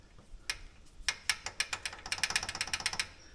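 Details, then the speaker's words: Polaris Ranger rear, in neutral, wheel wiggled: sharp metallic clicks from brake pads moving and rattling in the caliper, the clunk heard while driving; gap about half an inch; axles weren't the problem. "you can see that pad moving well it's doing when they're running hear that this is the sound that we were picking up"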